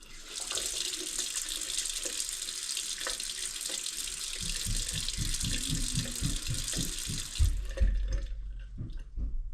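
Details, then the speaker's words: Farmhouse faucet after well pump flow was restricted to 7 gallons a minute to stop air in lines: steady even rush of water with no spitting or air bursts; no more sputtering, flow normal. "I think we might have gotten it. No more sputtering."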